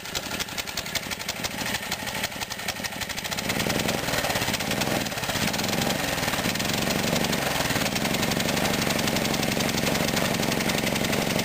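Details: 1959 Briggs & Stratton 8 cubic-inch 3 hp engine with 110 V electric start, running on old gas and not yet tuned up: starter whirr, then the single-cylinder engine catches and runs with a slightly uneven beat; rough running from stale fuel.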